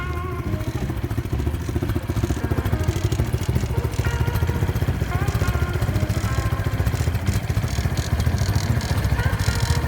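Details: Honda Wave 125 S motorcycle in a quick walk-around; it starts by kick start only and many parts are loose. A steady low single-cylinder idle carries a fast, uneven metallic clatter from the loosely mounted muffler and other parts rattling.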